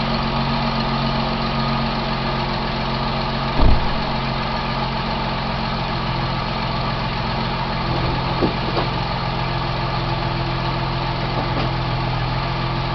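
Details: 2003 Ford Mustang V6 automatic at idle after a welded driver-side exhaust manifold crack: a faint quick tick over the idle, seeming to come from the passenger side near the firewall and worse in gear on the brake; owner suspects another exhaust leak or engine tick.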